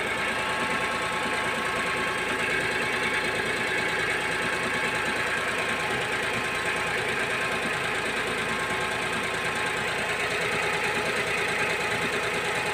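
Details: Daewoo Matiz after tightening a loose bolt on the alternator bracket or engine mount that rattled and rang for six months: even, steady idle with a bright mechanical whir and no loose rattle or clanking; engine healthy now.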